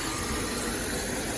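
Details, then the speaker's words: 2003 BMW 745Li E66 at idle: a steady airy hiss from underneath over a quiet, even idle; the sound changes when the oil dipstick is pulled, pointing to a vacuum leak. "there's a hist coming from under there you can hear it but when I pull the oil dipstick changes watch See? See?"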